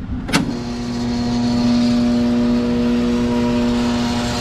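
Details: Utility-set HVAC exhaust fan found with power off: on power-up a click, then a loud steady electrical buzz with no speed rise; the motor hums but does not start, from a failed start capacitor.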